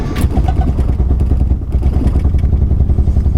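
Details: Cheap Nissan 240SX, after new spark plugs and wires: uneven lumpy idle with irregular thuds and stumbles; runs rough, fuel filter suspected by a friend, cause not confirmed.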